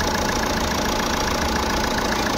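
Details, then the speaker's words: Jeep Compass idling after replacing the noisy alternator pulley: steady, even idle with faint constant belt hum and no squeal, chirp or rattle; engine compartment noise gone, normal idle. "अच्छा तो यहां पे engine start किया है और जो हमारा बाहर का आवाज आ रहा था इंजन का व हमारा क्लियर हो गया है यहां पर इंजन कंपार्टमेंट में कोई आवाज नहीं है एकदम गाड़ी हमारी साइलेंट हो गई है"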